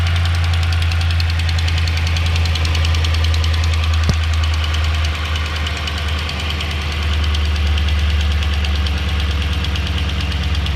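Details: 2009 Dodge Ram Hemi V8 idling with a steady low rumble and a regular light tick, about three or four a second, louder on the passenger side and quieter once warm; the owner wonders if it is a normal Hemi tick or an exhaust leak.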